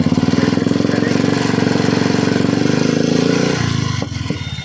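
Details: Royal Enfield Classic 350 single: steady thump with a harsh mechanical clatter ("tik tik") before the engine cuts off. The mechanic suspects a bearing problem, to be confirmed on teardown.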